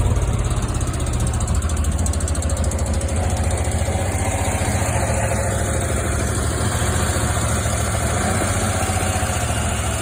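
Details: 2002 Jeep Liberty idling; faint fast even ticking over the engine note, suspected lifter tick, unconfirmed.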